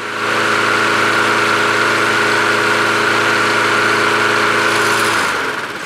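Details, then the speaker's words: Craftsman push mower with a Quantum engine, first start after winter storage on fresh gas and primer: strong, even hum at steady speed with no knocks or stumbles, then a clean shutdown; the engine runs healthy and sounds as it should. "that sounds great now but that's how the engine's supposed to sound like that sounds fantastic"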